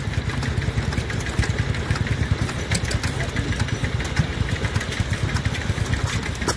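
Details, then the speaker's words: Arm and Co. 4 hp hit-and-miss stationary engine at a rally: low, irregular thumps roughly once a second with coasting gaps between firings; normal hit-and-miss running. "she goes. Just love every time they fire."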